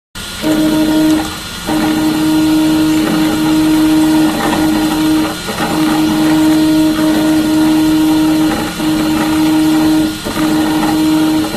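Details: Prusa i3 MK2 3D printer Y-axis (bed) worn linear bearings whine with a steady tone and rough rattle as the bed moves.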